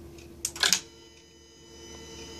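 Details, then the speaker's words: 1994 Mercedes E420 non-ASR throttle body, powered bench test after wire repair: quick whirring and clicks as the idle motor drives the gear back to its preset idle position set by the potentiometer, then quiet; idle control working fine. "as you can see it always Finds Its idle position based on potentiometer positioning this piece and internal position now if I try to close it as you can see it brings it back up to preset position this is idle control right now so it works fine"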